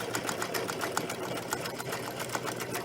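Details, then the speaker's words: Sewing machine test-sewing a wide zigzag after threading: even, quick ticking about seven stitches a second over a smooth motor hum; stitching cleanly, normal zigzag. "Now I'm going to turn the machine to a zigzag, a nice wide zigzag, and test zigzag."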